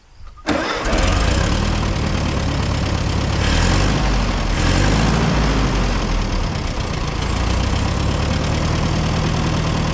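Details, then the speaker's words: Abandoned four-cylinder LP CO-OP E3 tractor (possibly 1947) with many hours, started on a fresh battery after years of sitting: cranks briefly, catches right away and settles into an even, steady idle, no knocks or misses; runs like a sewing machine. "like a sewing machine sounds good runs good"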